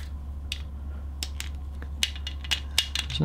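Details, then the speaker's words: Hoyt Alpha Elite compound bow: light, irregular clicking rattles as the bow is moved, from a loose plastic spacer inside the lower limb pocket. "it uh it's coming from these limb Pockets these are loose listen to that this little plastic spacer inside here is um is loose it's making quite a noise"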